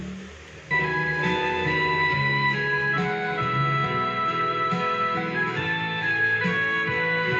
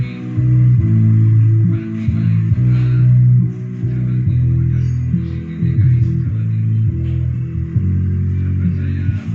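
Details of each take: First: Polytron PMA 9502 2.1 active speaker before repair, Line-in mode, one input: music clear in mids and treble but low end almost gone, thin and boxy; both vocal speakers normal, subwoofer gives no bass at all. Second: Polytron PMA 9502 active speaker after repair of dead subwoofer, fed from an MP3 module, volume being raised: deep, full bass notes come through cleanly and steadily with no buzz or dropout; subwoofer channel working normally.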